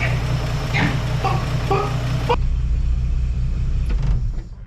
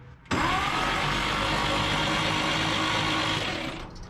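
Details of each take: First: 1958 Chevrolet Apache that had been sitting, started on a chilly morning with the valve cover off: a steady, deep, even rumble with no misses or ticking. It runs smoothly and much better than before. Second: 1958 Chevrolet Apache long sitting, starter churns about three beats a second but never catches or fires; no spark.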